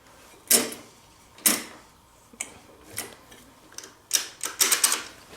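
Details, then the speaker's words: 1984 Honda ATC three-wheeler engine turned slowly by hand: sharp metallic clicks around each revolution with short clusters between. Owner suspects broken springs on a part that should spin with the crankshaft, and that the noise is up top. "There's some springs that should hold this in place that must be broken. I wonder if that is the noise."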